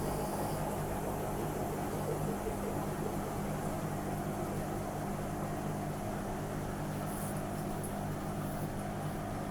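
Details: Washing machine spinning at 400 rpm with worn drum bearings; steady loud rumbling roar and low hum, the drum wobbling off-centre inside its plastic tub; bearings need replacing.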